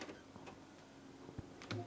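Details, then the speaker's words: PS5 Blu-ray drive with a known-good Call of Duty Black Ops disc: irregular light ticks and clicks as it searches, no steady spin-up, then "unreadable disc"; the laser is fine, the drive's sled motor controller IC has failed. "You can hear it searching. And there we go, unreadable disc again."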